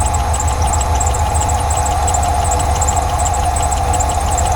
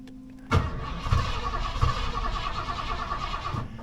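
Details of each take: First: 1989 Ford F150 being revived, now running after a spray down into the intake: low, even idle holding a steady rumble with no stumbles. Normal idle. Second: 1989 Ford F150 cranks about three seconds with a steady chugging rhythm but never fires; cranks but won't start, which owner says usually starts right up after one shot of ether.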